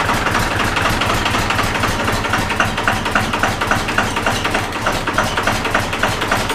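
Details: Cummins diesel-swapped Jeep YJ at its first start-up, just started by key with the fuel pump primed: rhythmic, even diesel clatter at about 3.5 beats per second with no misses. It sounded a little choppy at first, then idles fine.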